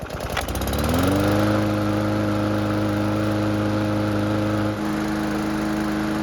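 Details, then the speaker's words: Mower after carburetor repair, on a quarter tank of fuel: it pulls through a brief start, then settles into a steady, even hum with a constant low tone. The engine starts and runs great. "So the good news is that the engine starts and runs great, but the bad news is that we're nowhere near ready to sell it just yet."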